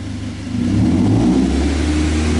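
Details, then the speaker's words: 2010 Toyota Avanza, warm and stationary, read by scanner: idle at 756 rpm, coolant 83°C, intake air 32°C, ISC duty 16%, battery 13.7 V. Throttle position rises from 0% to 7.1% and the pitch rises cleanly without stumble. Throttle response is normal. "Nah, ini saat gas diinjak, posisi throttle-nya naik menjadi 7,1%."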